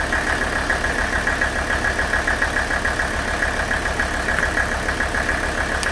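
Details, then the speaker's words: Warmed-up Mercedes OM617 diesel idling on Liqui Moly Diesel Purge fed straight to the injection pump: even, steady idle with a soft regular chug; the nailing sound went away about two minutes in, quietest it had run. "four and a half minutes to run 40 ounces of that diesel purge through and man i wish i could run that stuff all the time this engine sounded absolutely amazing while it was running"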